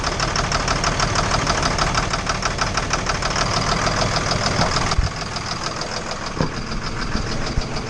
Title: Engine Knock